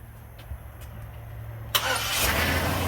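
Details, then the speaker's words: 2003 Chevy Silverado 5.3 V8 from a rollover, started outside with plugs loosely back in: sharp catch, fires right off into a steady even idle with heavy smoke, no ticking or knocking; normal start. "Look at that, fired right off. Woo, look at that smoke. Wow, that thing fired right off."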